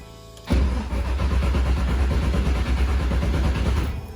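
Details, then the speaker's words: LS-swapped Mazda Miata, first start in 7 months after Mishimoto radiator install and fuel system update: starter churns steadily about 3.5 seconds but never fires; owner suspects battery low after a week in the cold; fuel priming. "it doesn't like it whatever it's doing now something i didn't think of is that the battery has been sitting on here for about a week so it could be a little low on uh juice from sitting in the cold"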